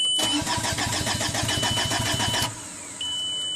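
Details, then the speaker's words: 2005 VW Passat TDI diesel, 231,000 miles, crank no-start after engine and transmission rebuild: even cranking about three and a half beats a second, never catches; fuel pressure only 5-8 psi while cranking. "about five psi about seven psi and we crank it eight psi"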